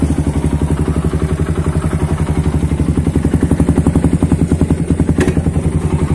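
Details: Suzuki Satria FU with a WRX K3 exhaust after new glasswool silencer packing was fitted: an even, steady thump just under four beats a second, with no rattle or buzz. Normal exhaust from a healthy, well-packed silencer.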